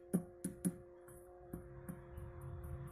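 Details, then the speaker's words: Orange RockerVerb 50 valve amp, tapping the power tubes lightly with the camera near the speaker: each tap comes through as a sharp, ringing ping; two of the four power tubes are microphonic and need replacement. "See, I'm tapping this so lightly, and I can hear it coming through the speaker. This one, fine. This one, a little microphonic."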